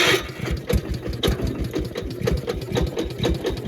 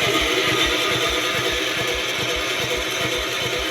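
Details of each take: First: Gravely 812 single-cylinder engine after the coil wire was reconnected in place of a temporary rigged ignition: quick, even pops about twice a second that settle into a steady run; it starts and runs normally. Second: Gravely 812 tractor with manual choke on, after its loose battery terminal clips were refitted: the starter cranks steadily at about three turns a second with no firing, because the temporary rigged ignition wire was still on in place of the coil.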